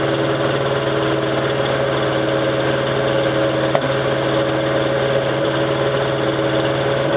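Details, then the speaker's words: 1987 Toyota 4Runner, high mileage, cold morning start, idled about 3 minutes: rough stumbling misfire; cheap reman head gasket leaked coolant, cracking head and fouling plugs; fixed with used OEM head and gasket. "So that was running for like 3 minutes and it was still misfiring."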